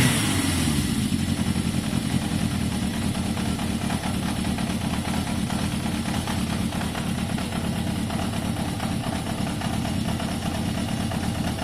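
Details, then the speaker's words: Yamaha XJ550 motorcycle warm after carb cleaning and choke off: steady, even idle with a soft mid-pitched exhaust beat, no hunting or surging; slightly smoky from carb cleaner, idle judged a touch low; normal warm idle. "There, you can see it's warming up, you can hear it. It's revving very strong."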